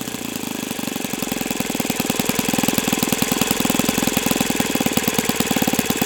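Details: O.S. FS-91S II four-stroke engine on test stand, first run: crisp, rapid, even popping that steadies and builds slightly with no misses or sag. Owner says it feels freer once at operating temperature; normal running.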